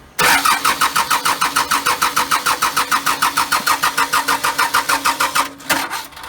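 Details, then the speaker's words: Cummins diesel build, cold start at night after motor mount install, in neutral with fuel on: steady starter cranking about three compression pulses a second for five seconds, no firing; cranks but won't start, needs extra fuel. "needs a little thing called extra fuel"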